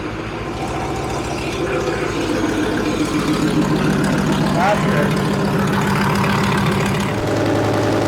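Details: Leopard tank engine test-run after the fuel injector bank O-rings and five or six cracked hoses were replaced, checking fuel lines for leaks: smooth, steady low diesel drone at idle, even firing, no stumbles. Healthy, no leaks.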